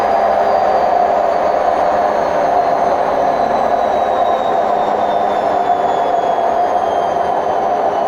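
Loud steady roar through the spin with a high whine slowly falling in pitch; worn drum bearings.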